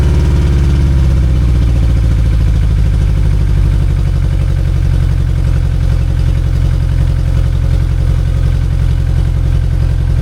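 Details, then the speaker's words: 2002 Yamaha 90hp outboard, run after sitting about two years, burning off Seafoam: steady low burbling idle with slightly uneven popping, held fast because one carburetor is leaking; that cylinder also has low compression. "See, it's still leaking a little bit here. See, it's leaking a lot. So, that's one of the reason it's not idling properly."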